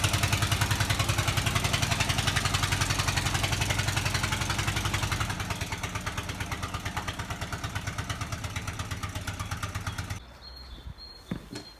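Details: VW Type 25 (T25) van being rebuilt, after a battery and battery earth replacement for slow cranking: even, regular engine pulses with a light clatter, easing before cutting off; starts and runs steadily.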